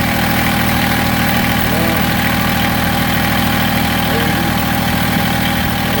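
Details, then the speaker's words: Massey Ferguson GC1710 sub-compact tractor diesel idling with an uneven, lumpy beat around three pulses a second and shaky firing, heavy vibration and power loss; owner suspects a cylinder misfiring or not firing, not confirmed. "now I idle it down and you can see how rough I mean I I can't I wish I could show you how much this knob is moving but it's bouncing tremendously everything is just everything's shaking tremendous"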